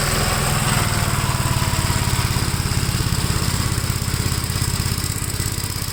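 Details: 1957 Gravely with a smaller 12-volt battery fitted, mowing soaked grass: an even, quick single-cylinder thumping beat holds steady with no stumbling or misses. It runs strong under load and cuts with power to spare.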